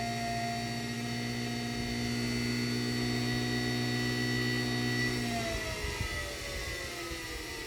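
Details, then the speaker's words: 3D-printed axial-flux BLDC motor on an Arduino controller, first run, starting under its own power: a steady electronic whine and low hum that turns rough and uneven as speed rises. Noisy startup. "weird kind of noisy there at startup you can hear the speed controller speed control is working good"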